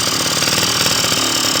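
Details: Honda Dio scooter with replaced crankshaft seals and piston kit: buzzy, uneven two-stroke rattle with lumpy beat, won't hold idle. Carburetor floods from excessive fuel pressure; fix is restricting the fuel hose with a clamp.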